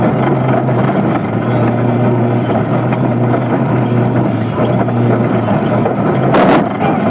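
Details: Rebuilt 1989 Toyota 22R four-cylinder petrol engine in a prerunner, running steadily with a loud, high-pitched, light sharp tick that comes and goes through all rpm; cause unknown.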